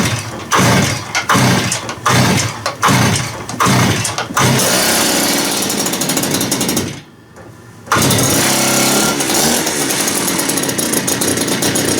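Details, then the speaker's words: TS400 cut-off saw after ultrasonic carburettor cleaning, choke and fast idle set: pops and catches in bursts, cuts out briefly, runs unevenly with slight bog; fuelling still not right, owner says still breaking in. "I'm just trying to get that uh bog taken out of it it's a tiny little bog now it's still got to work itself in it's still got to break in yet"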